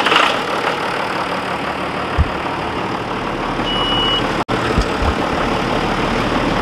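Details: John Deere 7200 tractor with an intermittent no-crank fault (key turned 20–30 times) traced to the starter circuit; steady diesel idle, even low rumble under wind and handling noise; it starts and keeps running fine.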